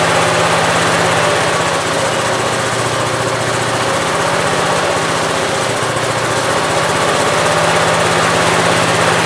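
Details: 1969 Gravely 432 after the carb float level, found extremely low, was corrected. Steady, even single-cylinder beat at a fast idle with no misses or surging, running cleanly.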